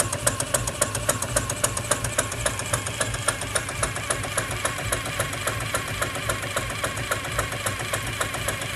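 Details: PM Research 6CI horizontal steam engine kit (1/4 HP) run on compressed air under load, exhaust wrapped in a rag: even light ticking about 73 beats a minute, no knock or slop; rod linkage quiet, normal.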